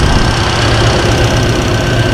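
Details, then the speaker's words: 1966 Mustang 289 V8 with Holley Sniper 2 EFI, warming up at about 58 psi fuel pressure: an even, smooth idle with a steady low rumble and no knocks or misses; everything is working as it should. "Yep. Everything's doing like it should. I mean, look how smooth this thing's running."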